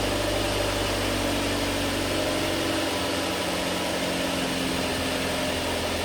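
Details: Mazda MX5 mk3 2.0 idling briefly after oil and filter change (4.3 L) to fill the empty filter: steady even idle hum with no knocks or ticks; running smoothly, all good.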